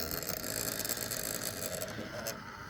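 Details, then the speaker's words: MSI gaming laptop, cooling fan after reassembly: loud, rough high-pitched whirring with a rattly edge right after power-up; the failing fan still sounds bad and needs replacing. "unfortunately it still sounds like absolute garbage so um it's not going to get better"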